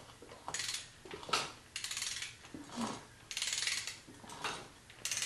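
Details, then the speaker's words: 1959 Harley-Davidson Ironhead Sportster, 65 years old, transmission, clutch and primary rebuilt: slow cranking brings sharp metallic clicks in uneven bursts about once a second; internal engine click, source unknown. "weird noises coming from this engine. That noise I was talking about before. Something doesn't sound right."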